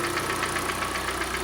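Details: Hyundai ix35, G4NA engine, front-wheel drive, about 124,800 km, at idle: a quick, regular hollow knock several times a second rides over the idle, heavy piston knock from worn cylinders.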